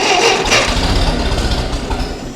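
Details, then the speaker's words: Ferguson TEA20 tractor, engine rebuilt after standing possibly 10–20 years, choke and some throttle, carburetor not yet adjusted: rough uneven cranking with weak catches that never run; cranking without starting, mixture likely off. "Ignition on. I've got me posh little key as well, and oh, she wants to go. Bit of choke. Oh, might do a little bit of throttle. Come on, girl. Love that old starter motor."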